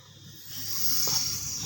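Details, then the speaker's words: Refrigerator with freon run out, compressor line cut open: a steady high hiss of air being drawn into the line swells and holds, showing the refrigerant leak is on the condenser side. "nyedot ya, artinya dia bocor di bagian kondensor apabila ini nyedot."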